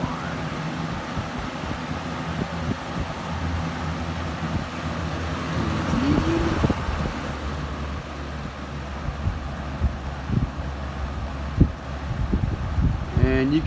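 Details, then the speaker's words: 1981-82 Galaxy Model 3713 20-inch box fan, oiled, running on high: a soft steady whoosh of air with only a faint motor hum and no rattles or scraping. A quiet, healthy motor. "so now i guess we'll run it here's high as you can hear the motor on this one's uh one of the quiet ones with the minimal"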